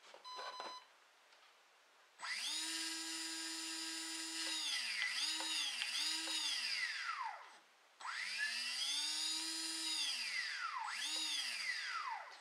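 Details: Brushless RC boat motor on Eachine SS Series 125A ESC, being programmed with a pistol grip radio: clean high whine sweeps up, holds, dips and recovers in two even runs; motor spins up smoothly and healthy.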